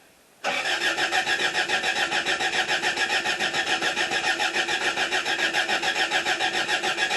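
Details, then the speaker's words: 1977 Toyota Celica: starter spins the engine steadily at about three turns a second but it never catches; no fuel, it needs gas; oil pressure had not come up. "i'm gonna have to put some gas in it i figured the oil pressure would have come up so okay see what happens"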